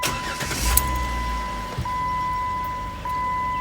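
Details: 2008 Jeep Wrangler JK after sitting two hours, when it usually clicked, now with an 800 cold-cranking-amp battery replacing the 600: brief strong crank over a warning chime, catches at once, even idle; starts normally.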